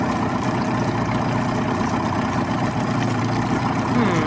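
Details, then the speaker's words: 1989 Yamaha 25hp outboard on flush water with the cowl on, after reinstalling a flipped fuel pump diaphragm (fuel strainer has a hairline crack). Steady, even low-speed two-stroke drone with an unbroken beat; running normally. "Alright, so I was like, well, we know the motor runs."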